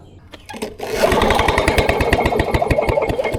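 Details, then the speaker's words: Vintage Lawn Boy Gold Series 4.5hp two-stroke curbside mower, recoil cranking: fast, uneven compression chuffs that never fire, despite spark and fuel delivery. Cranks but won't start. "it's weird that you would have spark and You' got fuel delivery but nothing"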